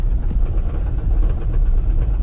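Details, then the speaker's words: Lexus SUV that was run out of oil, oil light on: a low, rough rumble with a faint, steady knock at idle. The owner suspects the oil pump failed from lack of oil and ruined the engine. "Maybe the oil pump failed from lack of oil. Something's wrong, obviously. The lack of oil killed the oil pump, and then, you know, no oil just ruined everything else."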